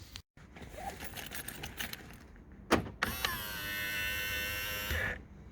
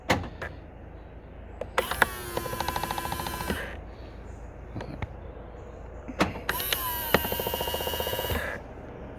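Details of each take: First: Mk3.5 Skoda Octavia power-folding wing mirror after WD-40 on the spring base: smooth steady whir for about two seconds with no clicking; clicking came from the spring bottom, not gears. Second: Skoda Octavia Mk3.5 power-folding wing mirror: two short motor whines with rapid rattling clicks, five to six a second, from the vibrating breakaway coil spring; fix with spray grease; clicking from dry breakaway spring.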